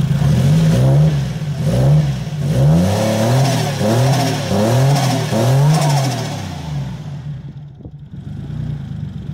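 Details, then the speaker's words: 1JZ-swapped street car just fired up, free revving: blips about once a second sound heavy, labored and sluggish as if loaded up; suspected timing off, not yet checked. "It sounds loaded up. Like it sounds like it's. They don't do that. They don't do that. They're not like that. It sounds like the timing's off."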